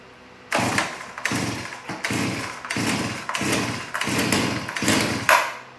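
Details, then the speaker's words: Stihl BG86 two-stroke leaf blower reassembled from parts, fuel bulb primed, full choke, throttle held: six or seven sharp pull-start bursts catching briefly and sputtering, then strong fire; engine starts and runs. "So it kicked over, so I can take the choke off now. Well, there we are. This BG86 starts and runs."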